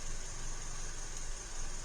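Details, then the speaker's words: 2012 Hyundai Elantra with P0301–P0303 misfire codes and reportedly new spark plugs, fuel trims only 2–3%: low, uneven idle with an occasional irregular thump; suspected ignition misfire on cylinder 2, pending scope testing. "but when we're only seeing 2 or 3% fuel trims, it's definitely looking like an ignition misfire on cylinder number 2."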